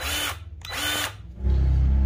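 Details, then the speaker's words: Milwaukee 2646-20 M18 grease gun after gearbox replacement, quick test in range one then two: whirring bursts rising to a smooth steady drone, no grinding or knocking; gear train healthy. "put it on range number one first okay range number two sweet right that sounds really good"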